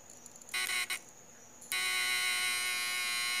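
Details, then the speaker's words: Homemade 12V-to-220V inverter with small transformer and MOSFETs, running: short bursts then a loud, steady, harsh high buzz from the transformer core vibrating; inverter transformer buzz. "Então vamos lá ouvir o barulho dele funcionando barulhinho dele que é legal dessa usar vamos ligar aqui"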